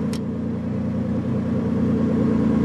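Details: 1986 International S-1754 truck, 9.0L V8 diesel with Allison MT-643 4-speed automatic, being jump-started: low, even cranking rumble building slightly over a few seconds but never catching; hard start, no start.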